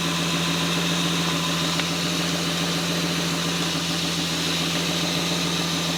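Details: 1978 Toyota BJ40 Landcruiser with a swapped 5-litre twin-turbo 1GZ-FE V12 on a new Haltech Elite 2500 ECU, first start on the untuned base map; smooth, busy idle with a steady hum and no stumbles or misfires.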